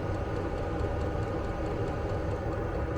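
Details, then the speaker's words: Vevor diesel air heater in a Fiat Ducato van at full power, thermometer near the outlet at almost 20°C: steady even roar, soft low rumble, no surging or popping; normal running. "Lui donc qui chauffe à merveille. À l'intérieur, c'est la fournaise."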